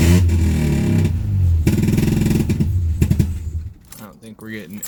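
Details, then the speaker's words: 1984 Mazda RX-7 GSL, swapped used rotary engine, carb changed to a Weber, exhaust gasket bad, possible fuel issue at rear bowl: lumpy, stumbling idle with uneven sagging pulses near stalling; running on one rotor, cause suspected, not confirmed. "all right so here's what a rotor sound rotary sounds like when it runs on one rotor"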